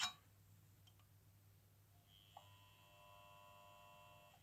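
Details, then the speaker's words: Demagnetizer coil silent until pushed into an aluminium housing, then a steady buzzing hum starts. Owner suspects iron in the aluminium and plans a plastic housing, since it is silent in a plastic outlet box. Electrical hum from the coil in the metal housing. "пошёл гул что там в железе в алюминии есть какие-то молекулы железа что ли"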